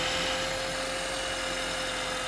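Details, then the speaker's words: 2009-2012 Honda Accord (2010), engine idling after drive belt replacement: smooth, steady whir with a constant mid-pitch tone, no chirp or squeal; belt and pulleys lined up properly and running fine. "Alright, so the tri-bell looking good. All the pulley line up properly."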